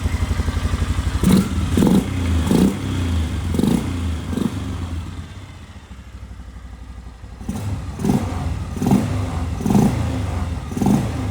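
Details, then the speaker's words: 2004 Polaris Sportsman 400 single-cylinder ATV, farm-abused, with new battery and an oil leak: revs blip up and down steadily with no knock or rattle; engine runs pretty good and sounds healthy. "Seems to be running pretty good."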